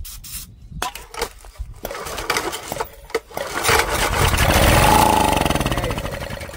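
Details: Old 8 horsepower Honda engine bought at auction, dusty, given a squirt: a few slow pulls, then catches and revs briefly before dying; spark and compression present, fuel delivery fault, runs only on starting fluid.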